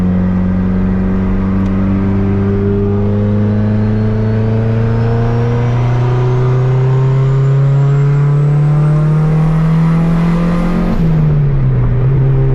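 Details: Turbo Honda Civic with fresh built D16 single cam on road test after ignition fixes: engine pulls cleanly, tone climbing smooth and unbroken; no longer cutting out at any rpm, though logged rpm still scattered.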